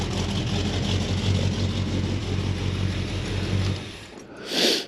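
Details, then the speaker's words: 1972 AMC Javelin AMX, carbureted engine with a big stainless 3-inch exhaust, idling once gas reached the carb after a cold start: deep, steady rumble, even low beat, no misses or knocks; sounds healthy. "But once you get some gas in it, it's got a nice little rumble to it."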